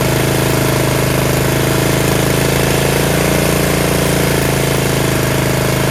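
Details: Yard Machines (MTD) 38" riding mower, 13.5 HP Tecumseh engine: low, steady single-cylinder thump at fast even idle, no knocks or misses; normal running. Owner suspects possible carb issue after an earlier stall.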